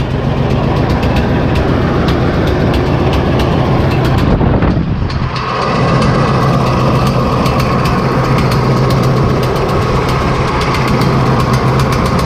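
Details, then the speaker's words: John Deere 8320T tractor, 8.1 L diesel, idling before valve adjustment: uneven chuff with irregular pops back through the intake; owner suspects bent pushrod or valve, cause unconfirmed. "but know you can hear it popping back to the intake"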